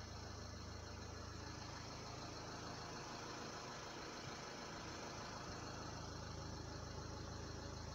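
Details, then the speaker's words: Renault Laguna 3 Coupé 2.0 dCi 180 diesel idling, heard in-cabin after wedging foam strips into the upper dashboard: even low hum with no dashboard vibration or rattle. "ya plus de vibrations voilà parce que faite sur ce modèle là c'est là c'est la partie haute la partie haute du tableau de bord qui il ya que ça qui vibre"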